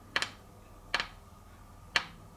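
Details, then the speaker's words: Shimano bonded crank clamped in vise under load: three sharp dry creaking clicks from a split glue joint in the crank spider, caused by corrosion, sounding like bottom bracket creak. "What I wonder is how many people have thought their bottom bracket was creaking and it turned out to be the defect in the crank arm spider."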